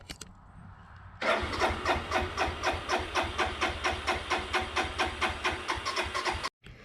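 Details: 2002 Suzuki GZ250 motorcycle sat 15+ years, with bubbles in the fuel line: steady starter churn, about four compression pulses a second, never catches; likely not getting fuel, may need priming.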